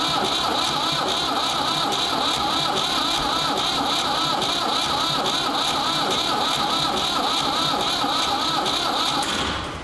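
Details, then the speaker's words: Ford 3600 diesel tractor with rebuilt CAV injection pump, bleeding injectors: steady starter whine with about three compression beats a second that never catch; owner suspects the high-pressure pump section is frozen, crank no start from seized plungers. "so i think the pump there must be something in that main pump section that generates the high pressure that's froze up or something so i'm gonna have to pull it back apart as much as i hate to"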